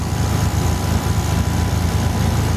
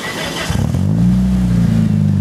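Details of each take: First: Mitsubishi Eclipse MAP-sensor engine at idle with only a P0300 code stored: low idle that sags and chugs unevenly, running lean and misfiring because a dead upstream O2 sensor is stuck reading rich (above 600 mV), so the computer needlessly removes fuel. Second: 1997 Mitsubishi Eclipse with faulty upstream O2 sensor stuck fixed rich (P0300 misfire): on initial startup in open loop it catches and idles smoothly and evenly; it starts chugging once in closed loop.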